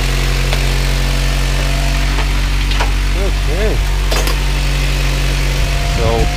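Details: Turbo Honda Prelude after fitting fresh spark plugs: the engine fires and holds a deep, steady idle hum with no misses or knocks; it sounds healthy.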